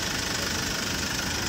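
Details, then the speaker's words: Hyundai Porter 2 with D4CB diesel, low power complaint. A busy idle with a hissy chuffing tick on every firing: blow-by leaking past the number one injector washer. Fix: replace the injector washer. "maay paghungaw sa injector number one makina grab blue by effect"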